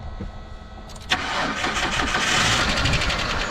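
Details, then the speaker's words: Kia minivan sitting several years, mouse-infested, first start on battery charger: brief crank, then lumpy uneven idle with stumbling beats, sounds rough — rough running on first start. "yeah it's just hits like usual but she runs I guess sounds like crap"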